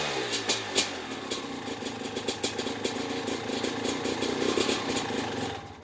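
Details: Maico 660 two-stroke dirt bike with new reeds and reed intake, clamp-on air filter, stationary: crackly uneven popping at fast idle, settling and running steadily before shutoff; started and restarted easily, idle needs setting, pipe sealed; normal running.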